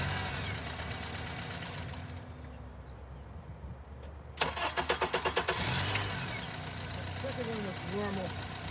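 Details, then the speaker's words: Honda engine cranked with the crank sensor signal removed, running on cam sensor backup: starter cranks a second or so with even chugging beats before the engine catches and idles; extended crank from the missing crank signal. "i'm gonna do a situation now where i want to look at uh cranking the vehicle without a crank signal without a crank signal so here we go we'll start and take a look"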